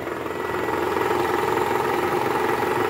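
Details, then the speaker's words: 2012 Toyota Camry 2.5 V, 2AR-FE, 167,000 km, cold start in R or D with AC on: coarse diesel-like clatter at three to four beats a second from the oil pan area; worn balancer shaft, confirmed on teardown and replaced. "suara kasar di area mesin pada saat awal mesin hidup masuk r atau d dan posisi AC on nah bunyinya seperti ini"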